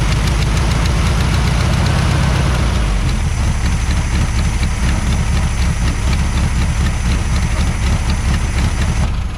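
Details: 1973 VW Super Beetle running with the clogged fuel filter removed: steady even low chug at idle, no misses or knocks; fuel pump confirmed pumping well, normal idle.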